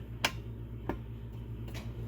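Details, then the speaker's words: 1995 Ranger R72 boat, engine off, after reinstalling the Quicksilver Commander 3000 remote: prop turned by hand gives sharp separate ratchet ticks in one direction and locks in the other, confirming forward gear. "you'll hear it ratchet in one direction and solid in the other. So that means you're in forward."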